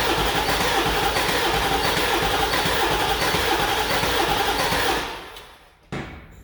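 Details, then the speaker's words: Ford 7.3 Powerstroke diesel after engine fire, cranking with key off to check compression: steady fast cranking about four beats a second, never catches; owner suspects no oil pressure, oil shows possible metal contamination. "almost sounds like it's not getting oil pressure."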